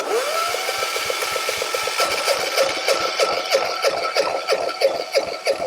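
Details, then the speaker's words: Free small electric-start diesel generator, 118 hours, long unused, cranked on battery with compression release used: steady starter whirr with even firm compression pulses about three per second, no catch; good compression, oil present. "okay definitely um turns over and has pretty good compression um so that's one thing it's got enough oil in it to start it"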